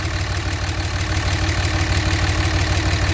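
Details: 2006 Dodge 2500 Cummins gen 3 4x4 diesel with a failed injector: loud regular clatter about three beats a second with a slight uneven stumble at idle, suggesting a misfire; injector replacement might fix it; rough idle with misfire.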